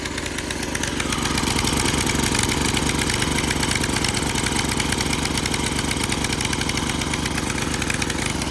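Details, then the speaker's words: 1987 Craftsman tiller, sat 20+ years, revived; full throttle, choke off: fast buzzy single-cylinder drone with slightly irregular blubbery beat, sounds like a little too much fuel, uneven running at wide open before adjustment. "Okay, so throttle up, chokes off. Sounds like it might have a little too much fuel."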